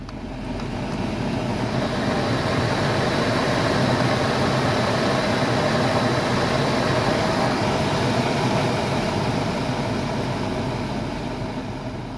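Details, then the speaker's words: 2013 Toyota 4Runner cabin blower after repair: steady even rush of moving air, no whine or rubbing; earlier whining likely from the fan rubbing debris (possibly from a mouse) near the chewed cabin filter, not a bad motor. "Now it just sounds like moving air. It doesn't, you're not getting the whining noise. Yeah, no more noise."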